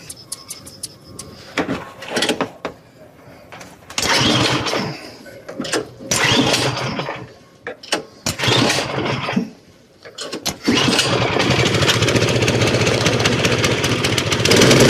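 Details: Toro snowblower after a carburetor rebuild, choked, primed and set to the rabbit (full) throttle: several pulls and sputters, then the engine catches and holds a steady, even high-speed run. It starts and runs normally.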